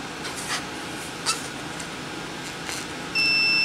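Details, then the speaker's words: Yamaha Banshee no-spark diagnosis, multimeter continuity test of the red/white wire from stator to CDI plug: a clean, steady high beep of under a second over quiet room noise; continuity confirmed, so the wire is good. "now we're going to test our red and white wire so we touch the same color wire on the other plug we get a beat"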